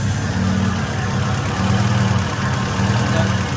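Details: Acura Integra GSR DC2 B18C1 all-motor, new 170 thermostat fitted for cold lower radiator hose, just started and warming up, radiator still cold, air-fuel about 11.3 (rich, not lean): deep, even idle rumble with steady beat, no knocks or misses.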